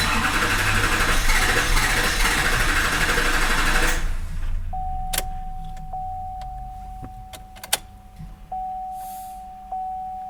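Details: 2006 Chevy Silverado HD 6.6 Duramax LBZ diesel, Allison 6-speed automatic, 4WD, fuel system already re-primed. Steady starter churn for about four seconds, then it stops with no catch and only chimes remain. It cranks and seems to try, but won't start; cause unknown.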